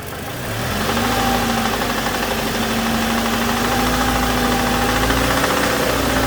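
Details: 2007 Toyota Tacoma 2.7 four-cylinder held at raised rpm during injector fuel-cut tests: deep knock about four per second, double knock with cylinder 1 cut; teardown found spun connecting rod bearing; also timing chain rattle on cold start.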